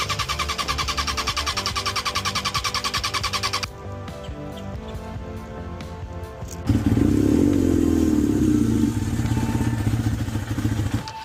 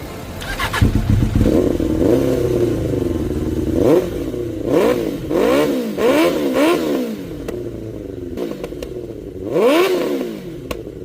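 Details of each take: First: 1992 Suzuki Katana 750F four-cylinder at idle during restoration: lumpy, choppy idle running on two cylinders, cylinders two and three not firing; owner later suspected a coil pack. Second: 1992 Suzuki Katana 750F after new coils were fitted and wiring faults traced to the fuel sender. It starts and catches, and clean throttle blips rise and fall with no misfire: all four cylinders running. A throttle cable issue remains.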